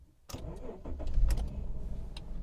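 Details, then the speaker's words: Daimler XJ40 that broke down on the highway in the rain, cause unknown (possibly heat suspected): brief starter whirr, catches at once and settles to a steady low rumble; clean start, mystery unresolved. "fires back up perfectly so um i don't know mystery continues"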